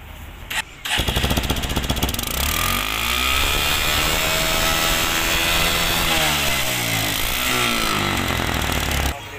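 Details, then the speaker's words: Stunner motorcycle after clearing heavy carbon buildup out of the silencer: the engine picks up cleanly, pitch rising and falling smoothly through repeated throttle blips with no stumble; pickup now good, normal revving. "अभी काफी अच्छी गाड़ी हो चुकी है काफी अच्छा आप पिक अप होगा इसमें"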